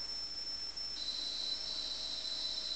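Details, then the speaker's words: Atari 800XL loading a cassette game from tape. A steady, piercing high squeal that drops slightly in pitch partway through, with faint hiss behind; the normal data loading tone. "So you see it's running and you hear the annoying sound squeak."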